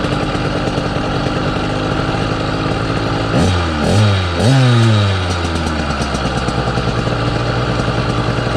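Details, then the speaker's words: Southern Custom CC hybrid motorized-bicycle two-stroke engine being ridden. Engine note sweeps down as the throttle closes, with a droning hum through the wind-down that the rider also feels as vibration in the bike at that frequency. Cause unclear. "you guys can hear the vibration that hum every time i let off of the throttle when it winds down that's what i'm actually feeling in the bike at that exact frequency"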